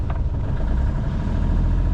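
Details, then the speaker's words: Sailboat inboard engine ticking over at 850 rpm then revved: steady even low throb, no misses; earlier rough running and near failure traced to fuel tap left off, now running healthy. "But, the real reason I've come back I wonder if you can hear our beautiful engine running. Ticking over. The rain has stopped. Ticking over beautifully at 850 rpm."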